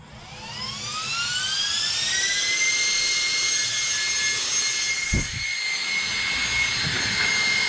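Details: Arrma Felony twin-motor RC car, new Game Changer RC Typhoon cooling fan, single fan on 3S: shrill whine sweeps up in pitch over two seconds then holds a loud steady scream; fan spins up and runs cleanly.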